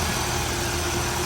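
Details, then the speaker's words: Dual-fuel (petrol and gas) Nissan Almera that would not start. All three injectors were leaking; after injector and spark plug work, with compression found good, it restarts and settles into a smooth, steady idle. "ตอนนี้เครื่องยนต์สตาร์ทติดแล้วนิ่งเลยนะฮะ"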